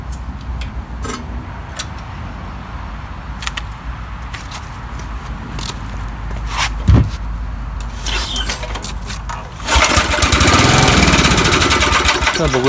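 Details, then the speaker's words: 1972 Snapper Comet 26 rear-engine rider, 8 hp Briggs Hi-Vac, sat for years under a carport, plug unchecked, first start attempt; scraping and clatter, then the single catches and settles into a steady fast putter; starts and runs. "that's the first start um so uh I'm a little surprised and shocked actually"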